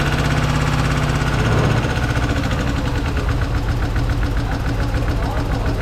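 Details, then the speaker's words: Toyota 3.3 V6 just after timing belt replacement, with no brake assist and a suspected vacuum leak: loud, harsh, choppy, uneven running at idle, unclear whether metallic or exhaust leak; suspected catastrophic internal damage. "i don't know man i think they blew it up something is very unhappy over here yeah i definitely hear something odd going on here this is not right i can't tell if it's metallic or if it's some kind of exhaust leak"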